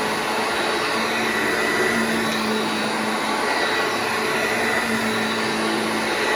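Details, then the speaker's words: Vintage Hoover Junior 1334 vacuum cleaner after full restoration, running in a room: steady high-pitched motor whir at constant pitch, no rattles, scrapes or surging; motor and bearings sound healthy. "So there we go, the Hoover Junior 1334 restored, cleaned up, and ready to fight another day."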